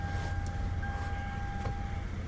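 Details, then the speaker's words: 2011 Lexus RX350 during a pre-travel inspection, checked for unusual noises: smooth, even low idle with a faint steady whine, no knocks or ticks. "And as expected, a Lexus sounds like a Lexus."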